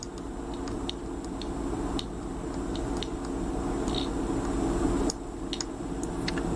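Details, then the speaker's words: Forty-9er 40m QRP transceiver kit, audio amplifier section on test: steady low hum with a faint sharp speaker click each time the input wire is touched, noise coupling in and going away on release; amplifier working normally. "you can hear this might be able to hear the speaker click every time I touch it"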